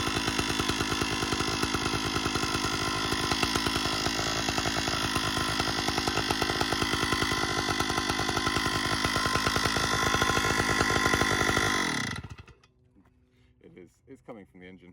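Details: 056 AV Super chainsaw at a steady high buzz with a harsh metallic rattle riding on the exhaust note, then shutting off; the cause was a loose muffler deflector, with the conrod and crank bearings found fine.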